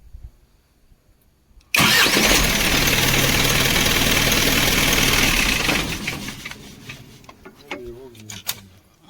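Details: Isuzu diesel engine with a no-start: the starter cranks briefly, the engine catches at once and settles into a steady idle before shutting down, so it starts healthy.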